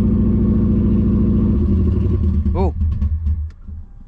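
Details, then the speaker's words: Subaru Impreza after sitting, struggling to start: uneven lumpy pulse about four beats a second that stumbles and dies; bad misfire, engine cutting out, suspected low on fuel. "it's alive it's alive it's got a misfire it's got a bad misfire"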